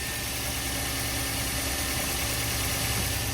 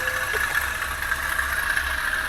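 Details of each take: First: Toyota Avanza, previously overheated with engine work done, after replacing the alternator: the earlier rough noise from the belt area is gone. The engine now idles with a steady, even, smooth hum and sounds healthy. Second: Toyota Avanza previously overheated: idling engine with a rough, gritty whirr over it, steady and no knock; owner hopes it is external.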